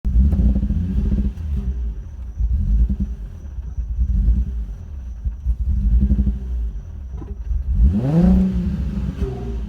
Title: Nissan 350z misfiring and backfiring out intake